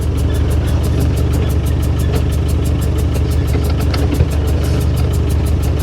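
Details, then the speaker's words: 35-year-old Land Rover Defender 110 with a newly running 200 TDI diesel, first short drive down the driveway: steady chugging with an uneven, lumpy beat under a low drone. It runs rough; cause not pinned down. "see if it actually [Music] moves that doesn't sound good I think I might have bought an absolute lemon here"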